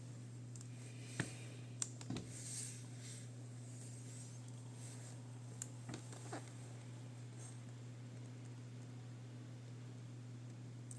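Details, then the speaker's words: Casper Excalibur laptop after replacing a previously fitted incompatible fan (old fans had been lubricated with a WD-40-type spray): both fans give a quiet, even hum with no rattle or scraping, only light handling clicks; running normally. "görmüş olduğunuz üzere her iki fanım da şu an faal biçimde çalışıyor ve herhangi bir anormal ses yok gerektiği gibi normal fan sesi geliyor"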